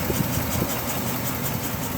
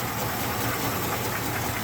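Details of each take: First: 1969 Ford Bronco Sport half cab, fully restored, idling warm after about 20 minutes of running on a 28° day; the temperature gun reads about 205–207°, likely a 205° thermostat. Steady, even idle with a smooth low rumble and no knocks or misses, as it should. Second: Restored 1969 Ford Bronco half cab V8 at cold start in 28°F weather, choke on, not in gear: busy light valvetrain ticking, slightly louder on one side, no deep knock; lifter noise, nothing substantial.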